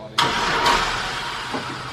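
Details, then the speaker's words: Newly bought cheap used vehicle, fuel in tank, a little smoke at start: starter cranks sharply, engine catches roughly briefly then dies without idling; owner suspects it needs a battery. "Oh, it can't stay alive, can it? No. It probably needs a battery and everything."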